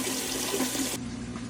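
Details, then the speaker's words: Sun Sun HW-304B canister filter after replacing a broken impeller that had caused a loud cranking/grinding noise: now only a soft, steady trickle of water, running smooth and quiet. "And just like that, the noise was completely gone. The filter is running smooth and quiet again."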